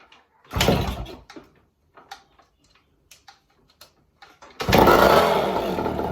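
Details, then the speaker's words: 1972 Yamaha LT2 100cc two-stroke enduro, started on fresh fuel: it fires after a few soft bumps and settles into a clean, even ring-ding with no nasty noises. It is a bit smoky, which the owner suspects is old fuel or an air leak. "no nasty noises so that will be an easy easy bike"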